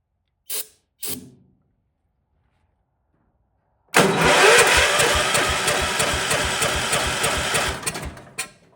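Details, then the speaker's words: Vintage Kohler motorhome generator, big flathead single with points ignition, started on starting fluid: pops into life, chugs unevenly about four seconds, then stumbles and quits. Runs rough; owner suspects corroded points. "Yeah, it's not getting smooth. So probably the points are corroded."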